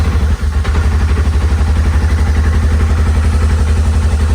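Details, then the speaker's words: Polaris RZR XP Turbo S after replacing a stuck-open injector that dumped fuel out the muffler, run to warm up and mix fuel out of the oil: steady, even, deep high idle with no misfire or stumble; running normally. "And there we go. We're running again."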